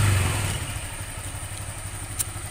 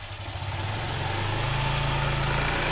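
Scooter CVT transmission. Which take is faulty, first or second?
second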